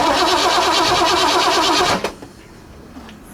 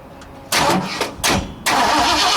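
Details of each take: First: 1960 Ford F100 with transplanted 351 Windsor, not run in decades, starter jumped directly: even quick cranking whir for two seconds with no binding; engine not seized, solenoid appears good. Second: 1960 Ford F100, 351 Windsor V8 unrun for decades, primed with brake parts cleaner: the starter spins in short bursts then a longer crank, but it never catches; no spark because the coil wire isn't in the distributor.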